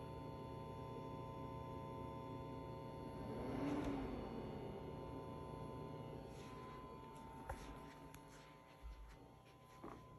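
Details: Hisense 120L10E projector, new, gives a faint steady electrical buzz with thin high tones while running in a quiet room; cause unknown.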